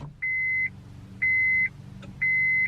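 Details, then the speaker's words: 2003 Acura RSX daily driver that sat two to three weeks: on key turn only three evenly spaced chimes, no starter click or cranking; battery and electrics work, diagnosed as dead starter. "that's all you hear there's no cranking sound so the diagnosis of this car is the starters out"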